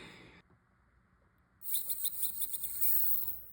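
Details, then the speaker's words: 1971 Timex 21-jewel watch movement during reassembly, escapement shaft suspected broken or detached: sudden fast buzzing whirr sliding down in pitch as the mainspring inside the barrel lets itself down uncontrolled. "Oh, that sounded really weird. The uh the spring just let itself down. Wild. That is really wild. That's what that worring sound was."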